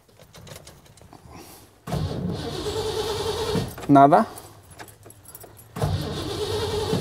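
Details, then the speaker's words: Car cranked in two long steady starter bursts without catching, no fuel pump sound heard; spark already checked; crank no start from no fuel pressure. "nada tampoco vamos a darle a la tercera vez ahí está no se escucha nada no está trabajando"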